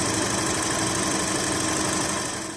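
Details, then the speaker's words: VW Golf/Jetta Mk5 2.0 FSI after timing chain replacement and a brittle leaking pipe replaced: smooth, even idle, steady hum, no chain rattle or slap; chain no longer noisy as before. "so I'm not sure if you can hear right now but the chain is no longer wrting like it used to"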